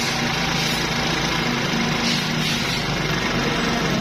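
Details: 70cc Honda motorcycle after air cleaner cleaned and oiled and slight mixture adjustment, previously missing: busy even single-cylinder idle with no skips or stumbles; normal idle, missing fixed.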